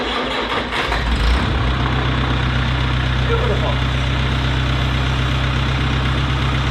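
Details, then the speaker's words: Farmall Cub after carburetor rebuild with new steel-brake-line fuel lines and inline filter, choke off, a little throttle: catches after a brief crank and settles into a steady, even low idle, no misses; running well, though it needs new plugs. "the carburetor works oh that sounds beautiful"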